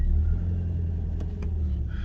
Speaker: see that the car moves the gearbox Works engine works